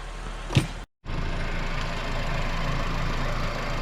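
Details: 2012 Honda Civic 1.8L after alternator replacement: after a brief cut, a smooth, even idle hum with no squeal, chirp or knock. It charges at 14.34 V; engine and new alternator running fine at normal idle.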